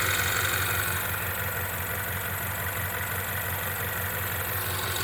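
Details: 2016 Ford Mustang 2.3L EcoBoost, 128,572 miles, after a replacement engine installed elsewhere: lumpy, uneven idle stumbling about three times a second, car shaking badly, check engine light flashing for misfire; reused intake and turbo, cracked turbo pipe found; cause not confirmed.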